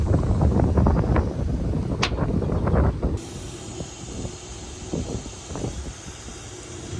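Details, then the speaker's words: AC unit compressor: after the nitrogen was released, a heavy rumble, then a sharp, steady hiss of a big leak where a compressor terminal pin cracked and burnt out; compressor needs replacing. "It's gonna be right there where it like burnt out. Hard to catch it. It's such a big leak."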